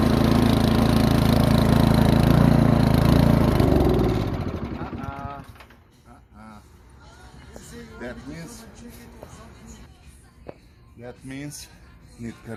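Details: Yard Machines 24-inch snowblower, PowerMore 179cc engine, milky water-contaminated oil, good spark: fires and chugs about four seconds then dies, leaving handling clatter; carburetor needs cleaning.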